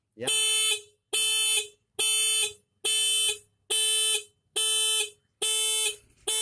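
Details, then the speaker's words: Homemade cheap motorcycle alarm triggered by switching on the ignition key: loud, even horn blasts about once a second, eight in a row with clean gaps; alarm sounding normally. "Jadi kalau ini kita hidupkan langsung dia bunyi alarm. Nah, kalau adanya apa kita matikan otomatis yang berfungsi cuman klakson ini."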